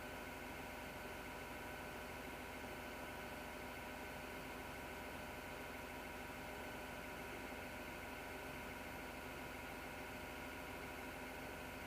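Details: Desktop PC heard after shutdown at night: steady roaring drone with a rough, grinding edge and several fixed whining tones; the grinding was gone by day, as it had also been once before.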